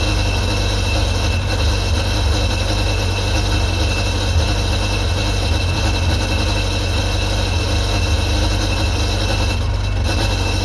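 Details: 2001 Sea-Doo GTX 951 DI two-stroke jet ski after rebuild, running on the flushing hose: steady, low, throbbing idle, even and unbroken with no knocking or misses; normal idle, runs properly.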